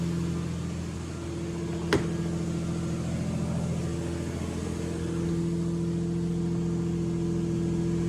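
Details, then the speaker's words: 2000 Ford AU Falcon, sat over 5 years, after repairing vacuum lines: runs better, no vacuum leaks, but holds a steady, fast, too-high idle; throttle body then replaced with a spare AU unit. "Got it back together, fired it up, and it seems to be running better. Obviously there's no vacuum leaks, but it is still idling really high."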